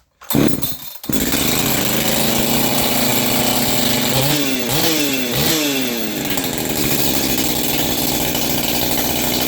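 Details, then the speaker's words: Freshly assembled, ported Echo CS-550P chainsaw with new, unseated ring (not full compression), first start on choke: catches after a couple of pulls, then high buzzing two-stroke runs steadily with throttle blips; healthy. "Now we go to start up this ported 550. If I did everything right, it should start."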